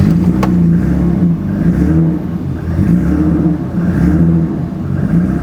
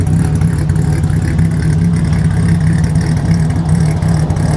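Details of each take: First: 1984 BMW 5 Series E28 with M30 engine, sitting 5 years, running only on starter fluid: catches and runs roughly, rising and sagging, sputtering and won't idle; attributed to lack of consistent fuel pressure. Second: Abandoned 1984 BMW 5 Series E28 with the M30 engine, first start after 5–6 years sitting, after the no-start, fuel and spark issues were fixed: a deep, steady, even idle with no misses or knocks; normal idle.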